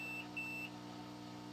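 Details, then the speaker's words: Sony XR-77A80J TV power supply (101055111) with 4-blink error: two quick continuity beeps across a transistor's middle and left legs on the bench; that transistor is shorted. "So this transistor here on the left has no continuity and no continuity, so it's a good transistor. And this one has no continuity, but does have continuity, which means it's shorted."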